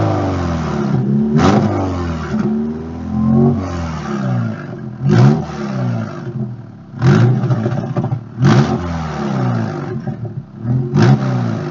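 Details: EJ22 engine in a 1997 Subaru Legacy with an exhaust leak giving a straight-pipe sound: loud, raw, rumbling unmuffled exhaust note through repeated revs; in person it is much louder and pops heavily.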